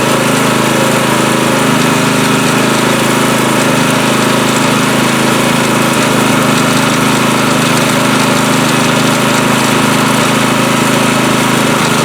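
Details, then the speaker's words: Husqvarna 020490 pressure washer, freed seized engine and replaced pump/valve, running with trigger squeezed while valve is adjusted until engine labors: loud steady drone at full pump load, holding speed with no stumbles. "We'll run some water through there with the trigger squeezed, and then we'll keep adjusting that valve, right, until you hear the engine start laboring. You don't want it to conk out, but you don't want it to, you want it blowing full maximum power."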